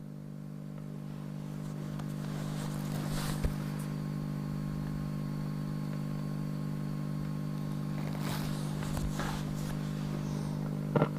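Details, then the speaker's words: 1944 wartime civilian valve radio receiver after all capacitors replaced and a replacement rectifier valve fitted (old one intermittent); steady low hum at one fixed pitch regardless of controls, with buzz: constant mains hum. "now there's a hum there all the time now can you hear"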